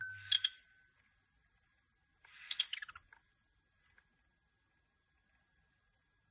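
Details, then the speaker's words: PSP UMD drive: a thin, steady high squeal under the quiet drive with short ticking bursts as the disc spins. Moving the laser doesn't cause it, so the owner suspects the UMD disc or UMD rotor. Dry drive motor squeal. "so my PSP started to make strange noises so let's hear it out for"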